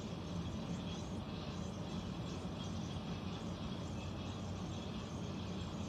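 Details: Central air conditioner air handler, apparently above the bedroom closet, making a steady deep droning rush with an unchanging low tone; owner questions a possible leak; abnormal rumbling, cause not confirmed.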